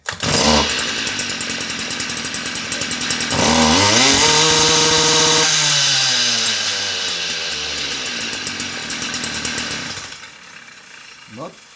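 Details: Stihl FS38 trimmer during carburetor tune-up, mixture screw a quarter turn richer: small two-stroke revs up, then sags and burbles unevenly instead of running crisp; mixture set too rich.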